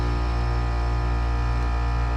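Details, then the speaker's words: Heat pump outdoor unit with the fan disconnected; defrost cycles fine, fan hub OK, compressor drawing about 10.3 A: loud, constant low hum with a heavy buzzing drone, compressor sounding rough. Failing compressor, needs replacing. "That didn't sound right either. That compressor sounds a little bit rough."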